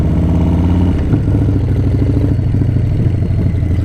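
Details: 131 Breakout (M8) on a ride-along: a loud V-twin with a heavy, uneven thudding through the low rumble, a knock-like beat over the engine that sounds like engine knock; a knock-like engine noise.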